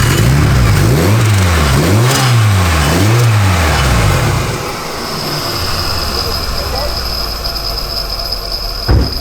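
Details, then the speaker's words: Turbocharged car, hood open, engine hot; revs rise and fall then thin high whine with metallic scrape at idle, lots of turbo shaft play; compressor wheel rubbing housing, metal on metal. "Shouldn't make that noise. Should be silent. It's metal on metal. So it's just grinding."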